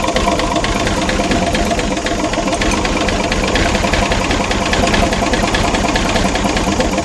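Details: Ex-army International ACCO 6x6 with a Perkins 6354 six-cylinder diesel, running after the fuel system was bled of air: even, quick diesel clatter at a steady idle with no misses or odd knocks. It runs nicely; blow-by not yet checked.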